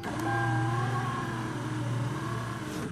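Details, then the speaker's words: 1996 Toyota Camry driver door power window after window motor repair, tested up and down with the key on: smooth, steady low electric whine, even pitch, no grinding or clicking, clean stop; window works normally. "window up down window down window up so we got a working window"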